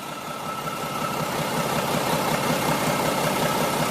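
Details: Mack E7 diesel dump truck, new injector fitted: idle with an uneven, loping beat about every third of a second as one cylinder misses, air seen in its cracked injector fuel line; cause unknown; cylinder misfire from air in fuel line.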